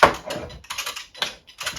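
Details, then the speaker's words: HobbyZone Sport Cub S RC plane on the ground with the AS3X gyro stabilization active: short bursts of quick, light servo clicking come and go as the model moves, the stabilizer working normally. "that there's that chatter that's the as3x automatically working to keep the um model steady as you fly"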